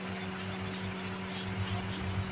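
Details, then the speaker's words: Daihatsu Xenia engine at standstill after overheat repair, cylinder head resurfaced and head gasket replaced, coolant at 98°C as radiator fan switches on: smooth steady electric hum, no rattle; fan running normally, temperature drops to about 90°C. "nah ini suhu 98 derajat motor nyala"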